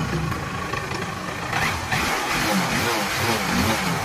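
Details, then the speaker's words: Honda Unicorn motorcycle that would barely start (new plug and cleaned carburettor didn't help), after fitting a new carburettor: single-cylinder thump settling into a steady, even idle beat, starting perfectly with no problem. "పర్ఫెక్ట్గా అయితే start అవుతుంది, ఎటువంటి problem అయితే లేదు. Start చేసిన తర్వాత ఒకసారి beating కూడా వినండి మీరైతే."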